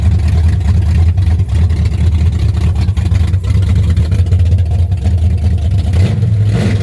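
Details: 1963 Chevrolet Impala 468 big-block V8 with 632-lift cam, first start of the year, no exhaust fitted yet (Flowmasters planned): deep very loud lumpy rumble with sharp throttle blips from open headers; open exhaust.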